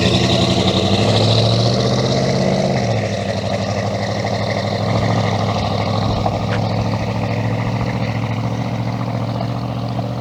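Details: Healthy V8 in a Dakota swap, just finished with an eBay exhaust kit and Flowmaster muffler: deep burble climbs in pitch on a rev, then drops back to an even, steady rumble. Clean engine, free-flowing exhaust, normal revving.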